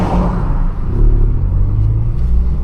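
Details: Cheap Ford Fiesta on a country lane under steady driving. A deep, loud low rumble that blats more than a small car should, from a hole in the exhaust. Exhaust leak.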